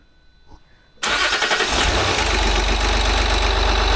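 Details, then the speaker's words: 2008 Land Rover Discovery 3 TDV6 during rebuild, on a restart attempt after a no-start: the starter catches and it settles into a loud idle with a steady buzzing drone, the air suspension compressor running before rear adjustment is done. "Well, we have a problem with the air suspense. Yeah, it's from the compressor."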